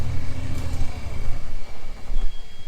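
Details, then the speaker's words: Old dump truck stuck in mud: deep engine note surging and sagging unevenly; engine stumbling, not warmed up enough suspected, unconfirmed. "That sounds like he's having issues here."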